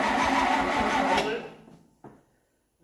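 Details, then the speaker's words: 1968 Dodge W200 Power Wagon, 383 big block, being revived: starter turns the engine over at an even, brisk rate for about a second with no firing or popping, then winds down. Cranks but no start; spark or fuel suspected. "if we're getting spark it doesn't sound like it because nothing's popping she wouldn't be out of gas would it"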